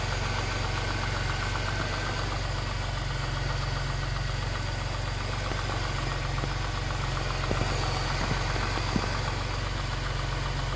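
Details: Jaguar S-Type 3.0 at idle: light, fast, uneven metallic rattle over the engine hum; cause was a loose timing chain.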